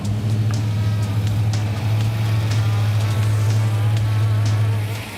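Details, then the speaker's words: 1961 Pontiac Bonneville with newly installed V8 and Turbo 350 swap, electric choke working, first run warming to temperature: deep steady rumble with even lope, no knocks or misses; smooth warm-up idle. "Going [Music] to let it come to temperature for the first time. And uh make sure we got some water in the water heater."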